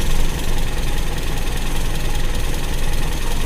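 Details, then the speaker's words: Carbureted Toyota Kijang, idle mixture (air) screw being adjusted; idle sags and turns lumpy with a shaky low rumble as the screw is closed, too lean at idle, and it is backed out to the smoothest highest idle. "saja atau setengah putaran saja ditunggu teman-teman masih ginjal tambahi sedikit lagi ditunggu lagi"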